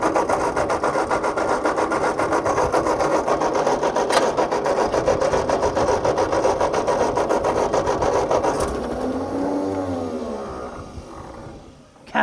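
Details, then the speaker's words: Tractor with replacement engine: steady rhythmic cranking around three and a half strokes a second, almost catching, but no start; engine found flooded with fuel, suspected cause. "let's give her a little bit of juice come on babe got a little bit of that right there that almost wanted to go didn't"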